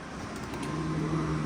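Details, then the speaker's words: Can-Am X3 with a new FP Green turbo, no fuel pressure, ECU suspected of not triggering the pump; after refitting the stock sending unit and stock pump and bypassing the rewire kit, the pump energizes with a steady low hum, engine off, running normally. "we bypassed all that stock set up for the fuel system now see if we hear it"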